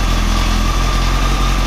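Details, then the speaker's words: Motorcycle after repair and oil refill, previously making a noise: smooth, even low idle with steady throb, no knocks or rattles; earlier noise gone, sounds healthy. "I think we're good think we're good to go you know all feels good sounds good you know what I think we're going to Europe"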